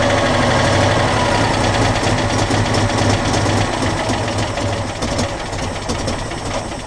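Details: Citroën Dyane 6 that won't hold idle and backfires, after a carburettor jet was cleaned and blown out: the engine chugs unevenly, its beat wavering and sagging as if about to stall. Idle still unstable; owner suspects dirt in the jets.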